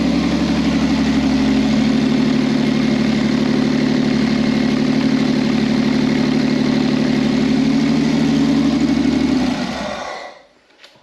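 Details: V6 trike that wouldn't start, running after its fuel pump connections were replugged: loud, rapid, even open-pipe burble holding a steady idle before switch-off; engine running smoothly.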